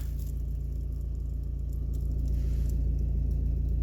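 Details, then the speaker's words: Volvo V40, worst when cold, in third gear: deep steady engine drone with a fast, even low rattle underneath; the dual-mass flywheel is worn with excessive play. "e é o defeito aqui do volante e massa que está com muita falta"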